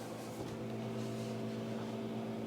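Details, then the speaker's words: Nehalem Mac Pro, stock, with Radeon 4870 GPU running Half-Life 2, microphone moved to the machine: steady droning hum with low growl, GPU hot and fan running hard under heavy load. "You can hear how that's growling, growling, growling."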